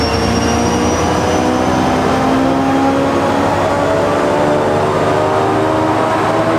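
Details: New Jersey Transit PL42AC #4000, EMD 710 diesel locomotive: steady drone with a hollow vacuum-cleaner-like whirr and drifting tones, probably not typical for an EMD 710; cause unknown.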